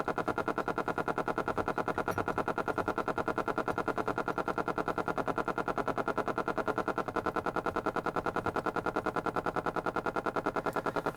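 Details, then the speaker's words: 1940s Stewart Warner tube radio before capacitor replacement: steady rapid motorboating pulse about three beats per second with fixed buzzing tone from the speaker; oscillating from failed capacitors. "so what I'm going to do now is flip this in through and it's oscillating if you can hear that in the speaker"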